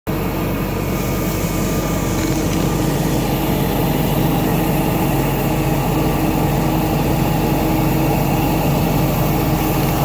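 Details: BMW E39 540i, M62TU B44 V8, at idle: continuous high thin squeal over the engine; belt squeal, belt/pulley problem.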